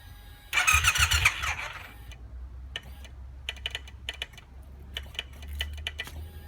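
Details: Triumph T120 motorcycle won't start: brief cranking burst fades to scattered clicks while clutch lever and starter switch are manipulated, starter engaging only intermittently; owner suspects a clutch or starter switch sensor issue, unconfirmed.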